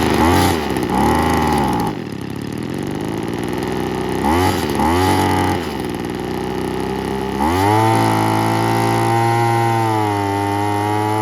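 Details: 1980s/90s McCulloch two-stroke gas leaf blower (Zama C1U-M21B carb), rebuilt with a carb kit and new fuel and air filters, cold morning in the 30s°F: blips up and down a few times, then climbs and holds a steady high rev cleanly.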